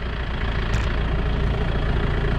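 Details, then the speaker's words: 1984 Land Rover Santana 109 Super diesel, 38 years old, just passed inspection (slight oil loss noted), idling with key removed from ignition: steady low rumble, even clatter, no misses or knocks; normal diesel idle. "como veis no hay llave en el contacto y el coche sigue funcionando"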